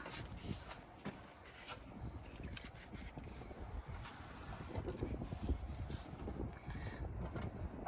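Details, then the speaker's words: Ute with Chrysler 215 Hemi, three-on-the-tree: uneven low chugging under the starter, catches and stumbles, stops when key released; owner suspects dead ballast resistor. "Sounds like this ballast resistor is sounds like this ballast resistor's dead. Because it starts when you crank it and then it stops when you let go, you know?"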